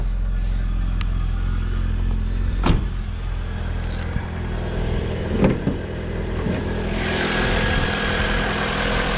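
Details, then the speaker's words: Vauxhall Vectra daily after replacing a cracked exhaust manifold with a spare and a new gasket: smooth, even low idle with no ticking or puffing; exhaust blow fixed, runs sweet. "Now she runs absolutely sweet as a nut. Start it up. Oh yeah. 80s. Love it."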